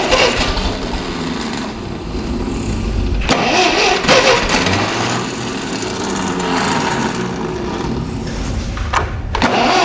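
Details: Ferguson TEA20 barn-find tractor after engine rebuild (head skimmed, valves done), standing 10–20 years, first start: stumbles into ragged, uneven firing around four beats a second with sharp pops; mixture and timing still off.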